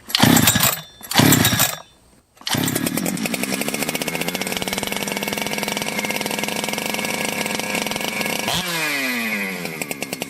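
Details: Jonsered 2071/2171 chainsaw, ported and rebuilt after running poorly like an air leak with a hot case and a blued, rubbing crankshaft: it catches after a couple of pulls, possibly slightly flooded, then runs crisp and steady at high revs and drops back smoothly. It sounds healthy.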